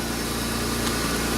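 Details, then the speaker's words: 2001 Pontiac Bonneville after repair for a misfire and check engine light, with the ignition module underneath possibly involved: steady, even idle with a smooth low hum, no stumble or chuffing, firing cleanly on all cylinders. "so well that sucker sounds good that's my favorite problem all the time good"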